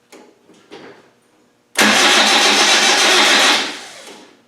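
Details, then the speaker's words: Rebuilt Land Rover 300Tdi diesel cranking with no fuel reaching the filter from the lift pump: faint turns, then hard cranking that dies away without catching; crank no-start from fuel starvation. "so no matter where you turn this engine it doesn't feel nothing at all"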